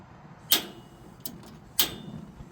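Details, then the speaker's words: Teton propane grill after drip pan replacement, two new burners and a cleanup: two sharp igniter snaps with a soft tick between as the burners light normally; the new burners work. "So the two new burners are going good. And I would assume the old ones are still working."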